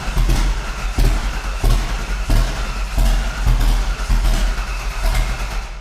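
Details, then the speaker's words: 1988 Foxbody drift car first start: uneven chuffing bursts about once a second, never catching; only about half the cylinders firing, suspected wrong spark order. "Let's go ahead and uh let's verify our spark order. >> Okay. >> Cuz it sounds like we're only firing like half cylinders."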